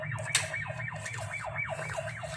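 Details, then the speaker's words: 360eyes EC101-X15 outdoor IP camera deterrent siren triggered from the app: repeating electronic siren sweeping up and down in pitch about twice a second. "Kalau misalnya orang yang tidak diinginkan, kita bisa bunyikan sirena nih."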